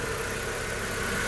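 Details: Honda CR-V after fixing a no-start (fuel pump O-ring, regulator replaced, check-engine code erased): starts on one click into a short stretch of smooth, even idle with a steady hum and no knocks or stumbles; healthy.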